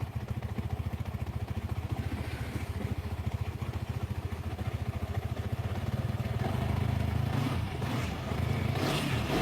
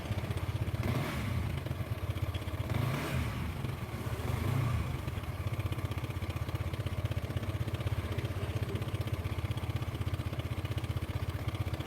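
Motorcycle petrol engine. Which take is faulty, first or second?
second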